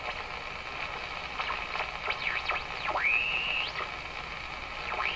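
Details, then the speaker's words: Westinghouse 535 radio warming up after replacing its last two capacitors, no signal generator running: wavering heterodyne beat whistles sweep up and down over hiss with no station; oscillation coming in and out, owner suspects capacitor change retuned it. "Uh-oh. All those heterodyne tones that you're hearing, beat tones. What am I doing wrong here?"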